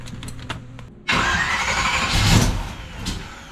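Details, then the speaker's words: Fuel-starved V8 in a Camaro conversion build (beat-up '79 front end swapped for a split-bumper front, transmission rebuilt) cranks, then catches with a harsh burst and coughs and backfires with uneven firing: hard starting and backfire from fuel starvation. "Oop, that sounds a little bit better. Go ahead. Why are you backfiring the car, you little bitch?"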